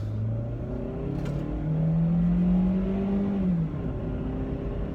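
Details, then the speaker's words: Toyota Matrix, 10–12 years old, just had engine replaced, first drive on the main road, recorded in the cabin; smooth even rising drone, no knocks or rattles over road noise: engine running good, normal acceleration. "Engine's running good."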